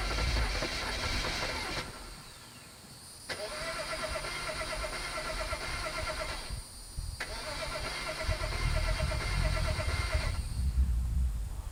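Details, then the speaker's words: BMW 535xi E61 wagon, reprogrammed used MSD81 DME, tow lock removed: three spells of steady starter churning, engine never fires; crank no start, owner bets on old gas pending the fault code scan. "Still nothing. I guess now I'm gonna have to put my bet on there being old gas as long as the fault code scan goes well here."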